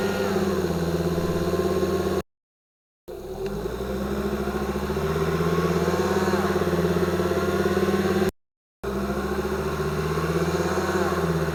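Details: 2005 Volvo XC90 2.5T AWD, microphones beneath car: thin whine rising with revs when pulling away from stops, appearing as tachometer reaches 2,000 rpm when 2nd gear engages; suspected gear whine.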